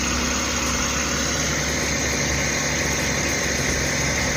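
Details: Suzuki DA64V/DA64W engine idling with air conditioning on, after cleaning the IACV without removing the throttle body: steady, even low rumble holding the AC load without hunting or stumbling; normal idle.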